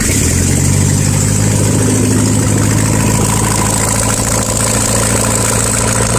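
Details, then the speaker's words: 1972 VW Super Beetle, Solex 30 PICT-3 carb with the electric choke retensioned (it had been too tight), no exhaust fitted, pedal pumped twice: a loud open-pipe cold idle on the choke with a low thrum and slightly uneven pulses. "car first starts up and uses the choke so that right there was a learning experience for me"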